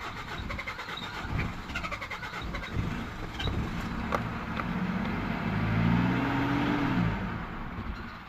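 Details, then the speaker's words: 2000 Mitsubishi Pajero 2.5L diesel, crank no-start with no ECU communication, after heater plugs were preheated: steady cranking at about three and a half turns a second with brief uneven catches that never run. Fuel starvation is suspected and the diesel pipe is being checked. "no unfortunately no I'm just going to check the diesel pipe now to make sure it's definitely in the diesel"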